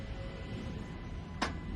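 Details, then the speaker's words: 2025 Jeep Wrangler Rubicon, front axle locker engaged via Kingbolen K8 Pro scan tool actuation test: one crisp sharp click over quiet low hum, louder than rear; normal engagement. "I heard that one even louder."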